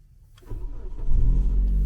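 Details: Car in cold Canadian winter, started after the fuel pump finished priming, heater and accessories off: quiet, then engine catches and settles into a steady low rumble with no misses or knocks; clean cold start.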